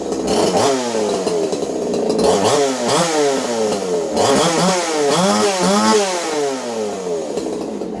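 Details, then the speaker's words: Craftsman 2.8 (Poulan 295/4620) two-stroke chainsaw with modified muffler (baffle and screen removed, 5/8-inch-bore tube welded in), recorded on phone audio: crisp rasp revving up and dropping back cleanly to a steady idle; normal running. "I'm going to go ahead and fire this puppy up for you guys. That way you can hear it run. Again, sounding okay."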